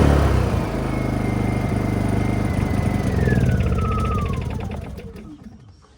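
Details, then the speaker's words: Honda EU2000i generator with an added ignition shutoff switch that lets it run until the carburetor runs out of fuel: steady drone, then pitch sags and fades over the last two seconds as it starves. Normal run-down to fuel starvation. "So now it'll run until the carburetor runs out of fuel. So you will never have bad fuel sitting in your carb anymore."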